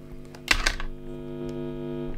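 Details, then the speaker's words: Guitar amp with generic wall-wart power supply near the signal path: steady buzzy hum with stacked tones and a couple of handling clicks, power supply noise from the adapter and wires induced into the amp. "you can hear how noisy that is so a lot of noise coming from the wall and from the wires as well"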